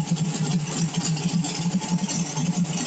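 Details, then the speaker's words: Carbureted small-block V8 on E85, CSU blow-through carb, mild cam, warming up: steady smooth idle around 800 rpm with an even lumpy beat of about three and a half pulses a second, no knock. "i don't know how well you can read that but that's not indicative of some monster roller it's a nice smooth 800 rpm"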